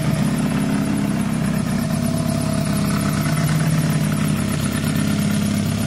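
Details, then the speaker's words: SYM 125 with a new up-jetted carb and an open exhaust pipe, idling warm. The single-cylinder beat has uneven popping and spitting kickback splatter that may fade as it warms. The owner suspects one valve is too tight and needs adjusting. "it still has that splatter we were just listening to it can't hear it now maybe it's warming up um it did have that bit of kickback splatter but i reckon the fouls need adjusting"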